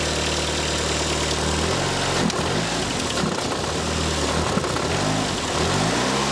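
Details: First start with fuel pump primed and ignition coils plugged in: engine catches and settles to an even steady idle, no misses, ticks or knocks; reached full operating temperature with nothing gone wrong.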